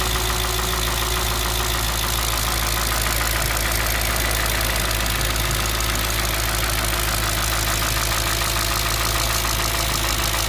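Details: Audi S4 B6 engine at idle: loud steady idle with rough, busy clatter over a low drone, no clear rhythm; abnormal engine noise, cause unclear.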